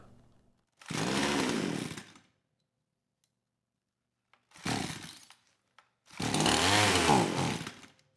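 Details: Kraftworld KW-5800 58cc Chinese chainsaw after repairs restored a fuel pulse, cover off, throttle locked on choke: short bursts of high raspy two-stroke revving with silent gaps; longest it has ever run.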